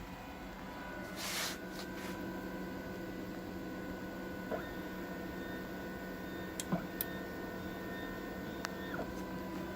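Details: Sintratec SLS printer after a stepper coupler fix with aluminum tape and limit switch repositioning for maximum Z height, bed driven down: quiet, steady motor hum, a few light clicks, no skipping or grinding; smooth travel.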